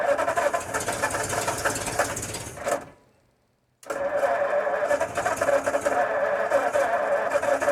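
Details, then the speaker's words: 1952 Ford F-1, first start attempt in 28 years after carb rebuild, PerTronix ignition and new plugs, wires, cap and rotor: the starter churns the engine at about three turns a second with a pause but it never catches; crank, no start, out of fuel. "Oh, you need gasoline. No wonder it was close, but it didn't finish. Because you were running off what was already in there from last time."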